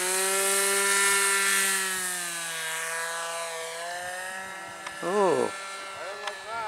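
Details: RC plane glow engine in flight: steady, high-pitched buzz holding its pitch with only a gentle dip and no sputter or misses; runs cleanly, though the mixture is later judged a little off.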